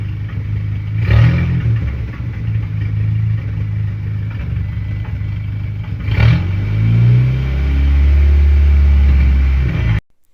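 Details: 2010 VW GTI after engine rebuild, fourth start: uneven, stumbling rev with a rough, lumpy note as it climbs and drops; audible misfire blamed on nearly two-year-old fuel.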